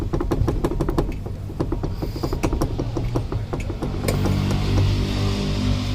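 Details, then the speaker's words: VW Fox, raised rear wheel rocked by hand: sharp irregular clunks from hub play, heard as resonance inside the car; caused by a loose brake drum retaining nut, fixed by light tightening. "Esse barulho aqui se dá por causa de um parafuso que afrouxou aqui, que segura o tambor, né, do freio."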